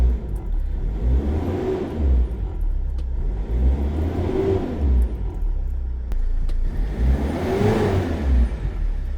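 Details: Mercedes Sprinter diesel holds a steady low idle with gentle swells and no whine after the alternator bearings, brush pack and clutch pulley were replaced; the earlier bearing and pulley whine is gone, a normal idle.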